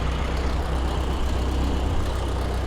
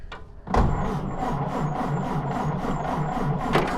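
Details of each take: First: Stock 1929 Ford Model A coupe, 40 hp engine, in neutral with a little timing advance: fires right up and holds an even, deep idle with no misses or knocks, loud fan wind in background. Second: Stock 1929 Ford Model A coupe, 40-horsepower engine, first start with choke: slow even chuffing with a sharp hiss on each firing stroke from a spark plug not tight, compression blowing past it.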